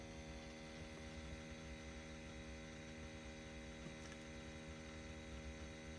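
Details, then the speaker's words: New Subaru Outback, parked: a steady low electric buzz with a fixed pitch from the rear passenger side. This is the normal EVAP leak-check pump, running about 15 minutes roughly five hours after the car is stopped. "all right if you hear a buzzing sound coming from the passenger side rear that's actually an evaporation pump and it happens about five hours after you stop the car it'll run for about 15 minutes"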